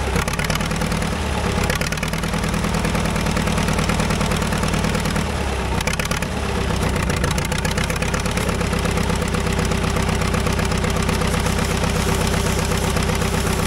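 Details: Caterpillar dozer diesel, parked since 1992, after a stubborn start: slow steady chug around two beats a second, loud and even, no misses or knocks; normal idle, runs pretty good now.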